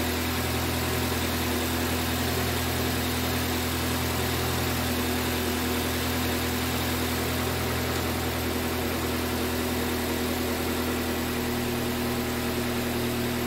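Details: 2005 Toyota Corolla after valve cover gasket repair (oil leaking into spark plug wells, P0304 misfire): smooth, even idle with a steady hum and no stumble or skipped beats; misfire gone, normal idle.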